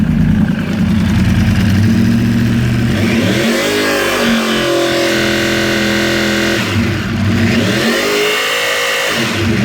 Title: Yamaha R1 rattle noise